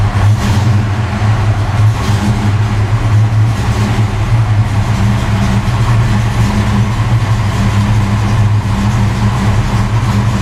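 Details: Ford Fox Body Mustang running after an oil change with Castrol Magnatec and GTX: a deep, even engine rumble that holds steady with no knocks, ticks or misses; runs cleanly.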